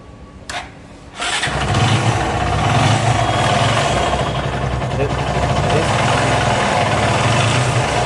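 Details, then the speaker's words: Bajaj Pulsar 220 motorcycle brought in for engine sound: starts after brief crank, idles with repeating tap about four per second; abnormal internal engine noise, source unclear. "তো আমাদের কাছে একটা গাড়ি আসছে ইঞ্জিনের sound নিয়ে। তো ইঞ্জিনের সাউন্ড আর হচ্ছে, তো আমি আওয়াজটা শোনাই দিই একবার।"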